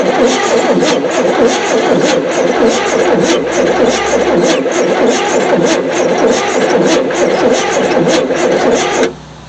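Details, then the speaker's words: 1973 Chevy C10 squarebody truck, sitting 27 years, cranks with gas poured down the carburetor: steady labored cranking for about nine seconds, no firing; spark confirmed present, cause not yet found, owner assumes firing order and distributor unchanged. "Still nothing. Let's see if we still got spark."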